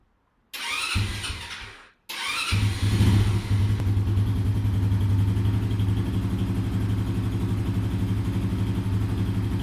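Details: Yuki Gusto 50cc scooter with Chinese engine after valve adjustment botched by a mechanic: two quick start attempts, then fast uneven chuffing and lumpy idle possibly from wrong valve clearance; rough running.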